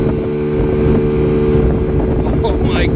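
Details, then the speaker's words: Chinese 50cc ScootSled scooter engine after CVT tuning to 6.5 g variator rollers, riding under hard acceleration; pulls like a freight train, est. about 45 from 30. Strong steady buzz under wind noise; normal strong acceleration in the power band. "oh that is a huge difference oh this thing pulls like a freight train"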